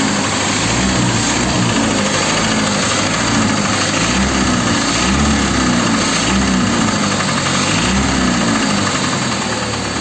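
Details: Chrysler 2.4 engine in a Volga: rough idle with an uneven knock about four times a second over the engine note; knock from inside the engine, cause suspected, not confirmed.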